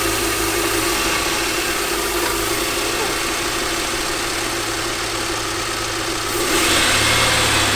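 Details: Totaled, crash-damaged car with rags in the intercooler piping and broken motor mounts: the engine catches and holds a steady, even idle with a slight rise near the end and no knocking or misfire; a normal idle.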